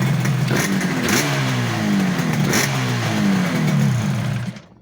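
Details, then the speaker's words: 500 motorcycle after replacing two aftermarket ignition coils with genuine ones to cure missing, popping and banging: crisp blips rising and falling cleanly, then shut off, no popping or misfire; runs as it should. "They were both aftermarket coils and they're both now genuine ones. And I'm happy to say it now runs how it should."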